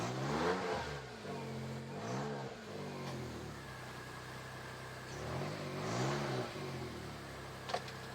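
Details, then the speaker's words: Turbocharged Suzuki Jimny with 3-inch lift revved in two blips; owner says it runs very well with a throaty sound; clean revs rising and falling smoothly, no knocks or rattles, deeper aftermarket exhaust note: normal revving. "It runs very well. Starts up very nicely. And it has a nice little throaty sound to it."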